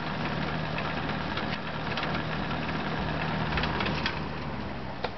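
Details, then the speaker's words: Restored 1990s Toastmaster box fan with replacement motor: rough scraping rasp three to four times a second over dull hum on high and medium, not reaching full speed; owner suspects bearings, loose rotor, blade or cracked hub. "just scrapes I don't know if it's the bearings or the rer loose but it scrapes and it doesn't run at full speed"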